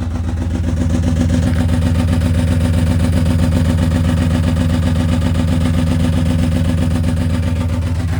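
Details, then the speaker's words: BMW E34 530 whose clutch started going out, just started: steady idle with an even pulsing underneath and a faint rhythmic tick; something underneath unhappy, owner suspects the differential died. "I may just start the car and then move it. Yeah, something's not happy down there. See, look."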